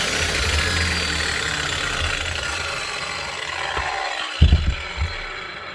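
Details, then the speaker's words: Hikoki G23SC4 wall chaser with some blade play, suspected worn top bearing in the head (worse after hours of use when hot), before repair: even high whir winding down smoothly, no grinding or bearing growl; motor and gears fine, normal running. "Sounds good enough. There's nothing wrong motor-wise or mechanically."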